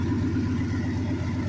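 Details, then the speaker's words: Turbocharged small-block Chevy 350 V8 with turbo blanket, Silverado pickup daily driven two years: deep, even rumble at steady speed, smooth with no knocks or ticks; engine running healthy. "Yeah, she's pretty beastie. And you can do this to any 305, 350."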